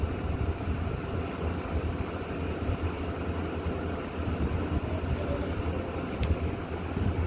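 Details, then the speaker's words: A Lloyd air conditioner running at 16° gives a steady, even low hum with no rattle or buzz. A faint noise heard earlier at compressor start was attributed to a pipe touching under vibration; now it is running normally. "आवाज़ नहीं अभी। No sound."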